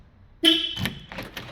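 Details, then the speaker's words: Porsche 996 Convertible, being diagnosed for a roof problem: door lock actuator fires with a crisp single thunk and brief tone, then lighter clicks; unlocks and works normally. "unlock all right that's working all right"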